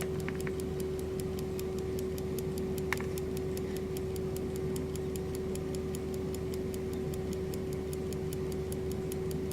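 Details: German Telenorma electrically wound mantle clock, possibly 1970s or 80s, normal escapement movement; crisp, evenly spaced ticks about four per second with a faint steady hum behind, escapement running normally.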